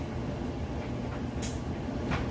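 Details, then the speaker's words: Whirlpool Estate extra-large-capacity electric dryer tumbling a good-size load of wet clothes fresh from the washer: even low drum rumble with soft irregular thumps, no scraping or squeal; normal smooth tumbling, heating correctly. "you can see it's got nice smooth operation sounds great"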